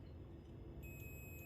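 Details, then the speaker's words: Car 6.5-inch midrange speaker checked with a multimeter across its terminals: faint hum, then a steady high continuity beep holds; voice coil not open, speaker still good. "เห็นไหมครับแสดงว่าเสียงกลาง6.5นิ้วตัวนี้ก็ไม่ขายนะครับ"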